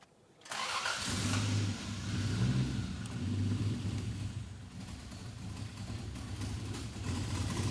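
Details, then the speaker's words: 1989 Toyota Supra MA70 with a 7M-GTE, revived after 6+ years sitting: revs with a rising roar and a faint turbo whoosh, sounding healthy. "Well, I'm going to call out a win. I heard some turbo noises."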